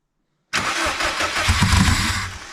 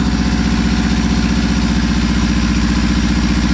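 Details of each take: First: Subaru WRX, sitting almost 4 years, first start without exhaust, intercooler or radiator after security mode reset; starter whirs, engine catches into uneven, lumpy idle with wavering revs; MAF sensor suspected, cause not confirmed. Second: Subaru WRX's first start after almost 4 years sitting, with no exhaust/downpipe, no intercooler and no radiator: loud unmuffled engine holds a steady raised idle with no misfire or knock. Sounds healthy.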